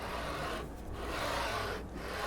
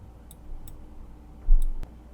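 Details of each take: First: JGMaker Magic 3D printer, bed moved by hand on rods with linear bearings: gritty rasping swish on each stroke about once a second, noise from the linear bearings; a little oil may quiet them. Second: JGMaker Magic 3D printer, manual homing during assembly: a few sharp light ticks, then a crisp snap as the endstop switch clicks normally.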